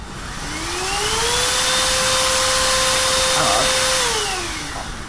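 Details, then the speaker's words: Trash-picked Russell Hobbs cordless vacuum after repair with a bit of solder; motor spins up smoothly to steady high whine, holds evenly, winds down cleanly, working normally. "ah we've solved the problem T yeah yeah perfectly good working"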